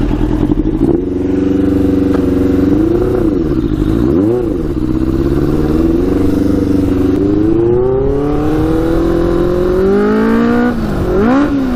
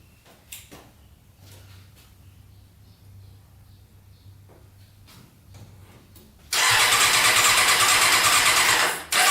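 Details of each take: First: Custom Yamaha Banshee with Suzuki Katana 600cc engine, Stage 4 jets, riding with pod filters removed: note climbs steadily through gears, pulling cleanly under load without bogging; runs much better without pod filters. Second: Custom Yamaha Banshee with Suzuki Katana 600cc engine, after stage 4 jet kit, cold start with choke: fires and runs loud, high revving, not settling; throttle sticking, carburetors to be removed to fix.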